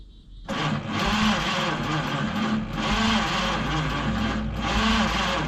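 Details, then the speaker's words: 1953 Studebaker Starliner, possibly off road 45 years, 38,360 or 138,360 miles, old plugs, wires, points, 6-volt, factory wiring bypassed with hot wire to coil: starter churns slowly, cranks but no start; erratic spark, owner suspects dirty points. "So, I saw a spark, but it's very erratic. I don't know what causes that."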